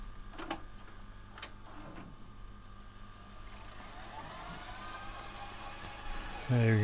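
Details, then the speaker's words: Sony DAV-D150G VHS deck on a known-good second tape, after the first old tape would not rewind (possibly moisture-stuck): a few clunks, then a smooth motor whir climbing in pitch as it fast-forwards quickly; working properly. "there we go, we can see fast forward is going a lot faster now. Fast forward is working,"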